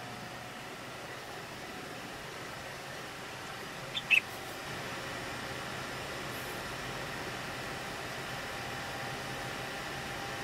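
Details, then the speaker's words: Hackintosh PC under full load during an export: the stock boxed CPU cooler gives a loud, steady airy whoosh with a faint whine while the other fans stay silent, before an upgrade to an Arctic Freezer 13. "so yes you heard that right all the fans are silent just the cpu cooler is running like crazy"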